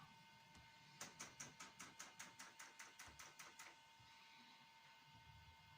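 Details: Thermo Top C diesel heater after a control board processor swap, in the diagnosis component test: crisp evenly spaced fuel dosing pump ticks, about a dozen at roughly two and a half per second over a faint hum; normal.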